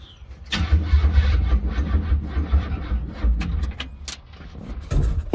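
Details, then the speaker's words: 1970 Chevy C10 on its first drive in many years: starter cranks and the engine catches for a few seconds, then sags and dies from fuel starvation. It had run out of gas, and gas was poured into the carb, but the filter stayed dry; the gas tank is clogged and needs replacing. "well after about something for a little while I figured out that the gas tank was clogged don't fix it I pretty much got to find a new gas tank"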